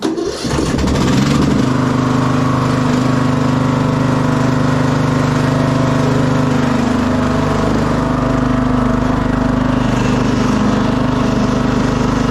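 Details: 2006 Craftsman LT3000 riding mower in cold weather, after a new idler, oil change, charged battery and inflated tires: engine catches and settles into a smooth, steady drone, no knocks or rattles; healthy.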